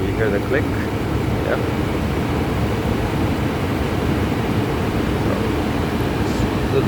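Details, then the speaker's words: Gas furnace with an on/off heating fault, after the burner lights: the large blower motor at the bottom runs with a steady, even airy rush and low hum, no rattle, scrape or squeal; operating normally. "Alright. The flame is blowing. Now the blower motor will turn on, which is down here, the big one."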